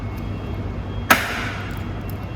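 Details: Aftermarket electric frunk latch emergency pull wire test: quiet background, then one sharp mechanical snap as latch releases when emergency wire is pulled; normal release.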